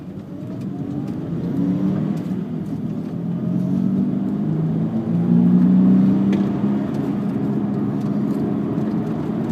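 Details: VW Jetta while driving: steady road drone with a low hum that builds with speed; owner suspects a bad rear passenger-side wheel bearing.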